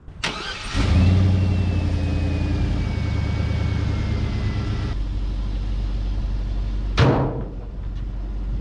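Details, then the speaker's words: Travelall with LS-swap 4.8 V8, after new spark plugs to cure a misfire and flashing check engine light: quick crank, clean catch, smooth steady low idle with no stumble or miss; running normally. "it's definitely running way smoother after y'all seen them plugs"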